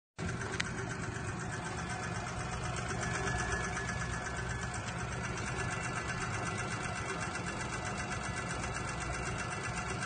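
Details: Daewoo Matiz engine 3500 km after an overhaul at a Tashkent warranty service, camshaft replaced: fast light sewing-machine tapping over idle, suspected worn hydraulic lifters and unreplaced valve guide bushings.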